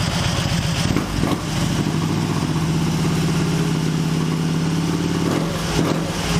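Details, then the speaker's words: Excelsior-Henderson Super X V-twin after raising an idle fuel setting to about 7 to fix stalling: settles into an even, steady idle after a blip without dipping; steady idle. "that was pretty good actually pretty covered wow it didn't go down at all that time pretty impressive"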